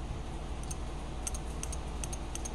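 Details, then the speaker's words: Relay (Omron G8HL-H71) from a 2005 Honda Accord V6, bench-tested on a 12 V DC power supply, gives crisp, sharp clicks as the contacts snap over cleanly; the relay switch is working. "can hear that that is a good sign that means that the switch in the relay is working at switching"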